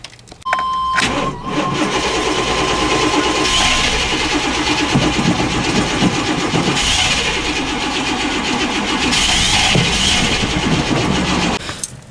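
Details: Plow truck with suspected bad old fuel, after grounding a loose harness wire: steady starter cranking for about ten seconds with even pulses, never catching; owner suspects cap, plugs or gummed injectors, cause unconfirmed; crank no start.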